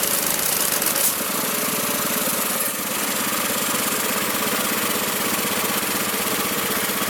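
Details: Magna air compressor with a Briggs & Stratton engine from at least 1983, sat 5 years, first start on the carburetor alone without carb cleaner: steady, even chugging at constant speed, no stumbles or hunting, reaching 100 psi; normal running.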